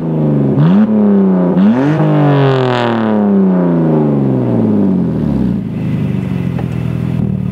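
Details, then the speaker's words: BMW E46 325i sport wagon with stock exhaust, only catalytic converters left (mufflers and resonator removed): loud, raspy, harsh unmuffled rev blips; sounds unrefined, resonator going back in. "right well in the video it's obviously louder but in person it sounds unrefined and well shitty so the resonator is going back in"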